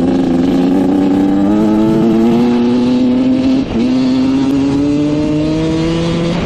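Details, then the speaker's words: Rebuilt 1986 Honda CR125 two-stroke dirt bike, which had a bad bog before: crisp revving up and down with a slight stutter and flutter at the low end; it breaks up low, and turning the air screw out another turn fixes it. "all right this thing is running great um you can hear it kind of breaking up low end so we turn out the air screw another turn and we're pretty much perfect now"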